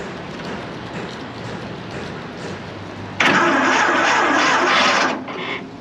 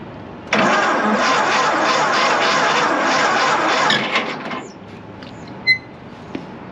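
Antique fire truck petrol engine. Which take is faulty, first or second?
first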